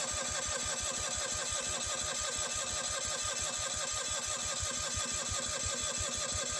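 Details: Miller AEAD 200LE gasoline welder/generator, first start after sitting about 15 years, fresh fuel with old fuel still clearing through: quick, even thumping of a small engine under a loud hiss, running a bit unsteadily; rough running on stale fuel.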